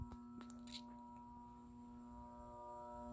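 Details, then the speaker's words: 2018 Banvil Enviro Breeze Gold Line 56-inch industrial ceiling fan with a cast-iron motor, run on low with a solid-state speed control: loud, steady, pitched electrical buzz with ringing overtones; a three- or four-speed control is needed. "I have it on the can arm solid state so it's gonna be very buzzy I need to get it on as three or four speed control see what I mean like like really listen to that buzzing sound"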